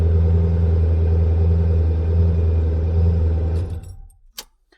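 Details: Maserati 3200GT on its first start after repair work, with fresh sealant and coolant not yet added: the engine catches and runs with a steady, even low drone for a few seconds, then shuts off cleanly; it starts and runs normally.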